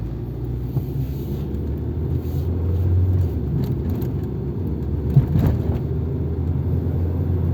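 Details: 1997 Nissan Altima at warm idle after a rebuilt MAF sensor was fitted without its O-ring to cure random lean trims pegged at -25%, a fault worse at idle. Steady low hum with no stumbles or dips; smooth idle, seems fixed.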